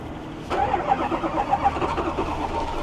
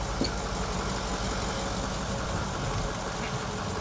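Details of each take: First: Ford F350 diesel with a dealership-installed new engine, started cold after glow plug cycles: it catches suddenly and runs rough and uneven with heavy smoke; hard cold start pointing to air in the fuel line. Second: Ford F350 6.0 diesel with a replacement engine, cold-start black-smoke problem traced to loose glow plugs; after fix, cold overnight in snow: steady diesel clatter at cold idle, two clean throttle blips, no black smoke, stumble or misfire.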